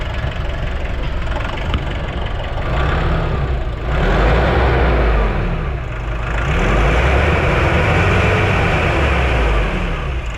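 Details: Nissan NV350 diesel van, idling: clatter whose speed swells and sags every couple of seconds instead of holding steady, smelly exhaust, no check engine light; owner reports low power and that idle worsens with air conditioning; idle hunting.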